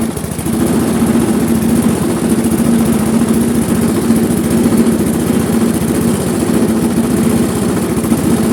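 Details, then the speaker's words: Briggs & Stratton Classic carburetor mower engine that no longer stalls but won't rev: steady low drone that never picks up speed; the governor spring is stretched and lacks tension, fixed by shortening it and re-forming its loop. "Notre moteur fonctionne, il cale plus, par contre il ne prend pas du tout de tour."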